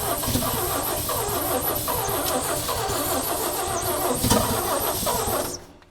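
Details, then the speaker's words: 1965 Chevy rollback with rusted cylinders, backyard-rebuilt head and loose valves, burning oil: ragged, irregular sputtering as it catches, dies after five seconds; about three cylinders firing, misfire. "She wants We got maybe three cylinders firing now instead of one."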